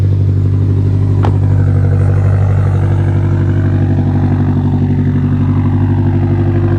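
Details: 2017 Subaru STI (VA, 400whp build), just repaired, on a second start after fresh oil while warming toward operating temperature: deep, steady boxer burble at an even idle with no ticking, knocking or misses; engine running clean.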